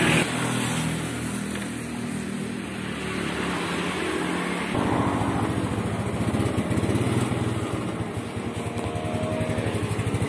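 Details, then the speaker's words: Yamaha Mio scooter, cold engine: uneven, sputtering exhaust that stumbles when the throttle opens and dies if forced. It is fine once hot and hard to start in the morning; the mechanic suspects the carburetor's vacuum-needle or jet passages. "nah seperti itu ya tiga Syawal Brebek dan jika dipaksa di gas malah mati tapi jika mesin sudah kondisi panas maka tidak terjadi masalah ini saat mesin dingin saja"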